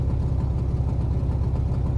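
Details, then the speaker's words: 1971 Plymouth Satellite 318 V8, dual exhaust, Thermoquad carburetor replacing a 650: deep, steady, even idle after fixing a choke pull-off on the wrong vacuum nipple. Normal idle. "Now it just runs pretty sweet. Like, it's what I wanted. Just listen to that sound of Thermoquad power."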